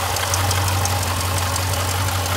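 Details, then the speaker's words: 2015 Jeep Grand Cherokee SRT at steady idle with a fast, light metallic ball-bearing rattle on top; failing water pump bearing. "if you start to hear a little bit of rattle a little bit of like ball bearing type rattle and you know it's going"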